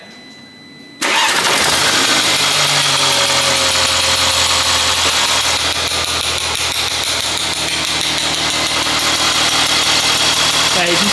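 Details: Mercedes-Benz CLA 180 donor car, engine started before removal for swap: brief crank, catches cleanly, settles into steady even idle with no knocks or misses; healthy.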